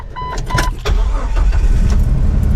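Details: 2000 Jeep TJ that died on the road with ignition coil codes for cylinders 1–4, after replacing a wrong 10 A fuse with a 20 A in the O2 sensor circuit: the starter cranks briefly, then it catches and idles steady with no misfire.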